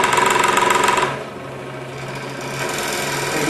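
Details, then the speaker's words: Entry-level scroll saw with the blade tensioning knob at maximum and speed turned down: loud rapid rattling knock that eases to a smoother hum once tension is reduced a little; excessive blade tension causes the knocking. "but you can see i can get rid of that knocking noise just by reducing the tension a little bit and of course the knocking gets worse"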